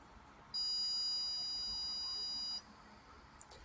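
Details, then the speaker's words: Arduino Grove kit CO2 sensor project in a quiet room, average reading about 402 ppm: one long, steady high-pitched buzz of about two seconds with one blink, the signal for a moderate CO2 level. "as you could probably hear there was one long buzz and one long blink this indicates that the room is has a moderate amount of CO2 in it"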